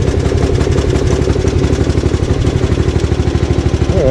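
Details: Gravely 8163B tractor single-cylinder engine running with choke just after a new key switch fixed its no-start electrical fault: even, steady putter with regular firing beat, no misses or knocks; healthy.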